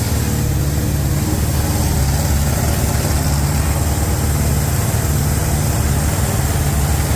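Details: 350 V8 being broken in on a Larin engine run stand: deep, steady idle with an even, unbroken beat and no ticks or knocks; normal idle.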